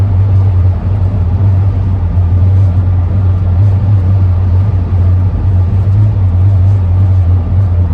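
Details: 2001 Ford camper van at freeway speed: a constant low droning howl with steady pitch over road rumble, which the owner attributes to the roof rack, possibly its positioning.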